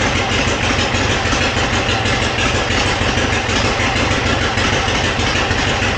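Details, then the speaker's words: 1957 Harley-Davidson Panhead V-twin, first start after long storage, Linkert carb cleaned and points set: loud lumpy idle with a sharp puffing tick each firing, from exhaust leaks at both loose head flanges. "I know it is leaking at both of the flanges here for the exhaust. I need to go ahead and tighten those up."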